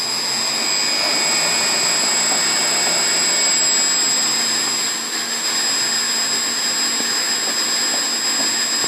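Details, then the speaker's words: Pump station pump restarted after shutting off the test valve: steady high-pitched motor whine holding even, no surging or cycling; pressure back to perfectly stable; pump running normally. "Back to perfectly stable. So this station is working properly."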